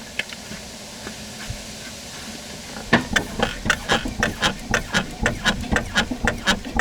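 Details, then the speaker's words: Car rocked by hand with camera on rear wheel: sharp knocks with a squeaky edge, about two a second, from the rear strut; cause found to be rattling loose strut mount cups, persisting 10,000 km. "Короче, и скрип, и стук, и все тут есть."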